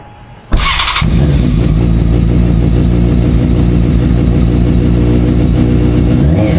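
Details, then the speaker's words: F4i four-cylinder motorcycle after replacing burnt, loose spark plugs (suspected cause of cutting off) and an oil change, throttle bodies not yet synced: quick crank, catches at once and settles into a steady, even idle; normal start and idle. "Overall, the bike, you know, sounds good, starts up."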